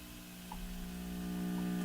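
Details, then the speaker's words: Crosley Model F-5 radio with volume turned high: steady low droning hum from the speaker, slightly growing, with no programme; power-frequency hum, capacitors suspected but source not identified. "I got the volume up quite high, but it's humming. In fact, I can hear a hum."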